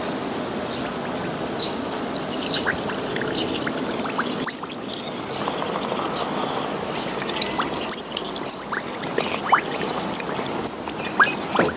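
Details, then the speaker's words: Destec gas regulator with faint gas smell, tested submerged in water: steady trickling and bubbling with small pops; gas leaking at the pressure gauge fitting. "Jadi ini kalau saya tutup harusnya nggak ada suara ngewes lagi karena tidak ada saluran keluar dari gas ini. Ini kalau saya cium dia ada bau gasnya meskipun tipis ya kawan."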